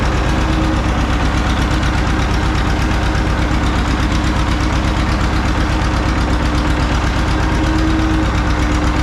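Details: John Deere 530 old two-cylinder tractor idling in winter, not run since hay-wagon use after a no-start with a shot battery; slow, deep, even putt about 167 beats a minute, no knocks: healthy normal idle.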